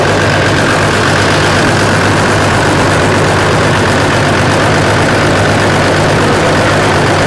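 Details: 1993 Dodge D350 Cummins turbo diesel, abandoned 18 years and run on an alternative fuel supply, first start with suspected stuck injection pump: heavy low drone at idle with lumpy uneven beat; one cylinder dead from no compression, running on five.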